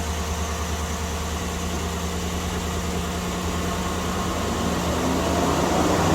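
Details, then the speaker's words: Chevy/GMC engine idling after replacing the temperature sensor but before a battery reset: loud, steady rush from the radiator fan that grows and never cuts out; fan stuck running on high. "now let's do the test I'm gonna cut it on or you're gonna see if we hear this radiator fan going crazy when I started"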